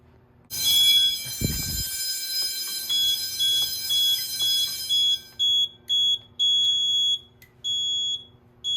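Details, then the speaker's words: School fire alarm test, Edwards 6500 and IO64 systems: high piercing electronic tone pulsing about once a second, a supervisory signal left unacknowledged on purpose so it is heard until reset. "I had supervisory come up there. You know what? I'm gonna leave it not acknowledged. That way I know when it's reset."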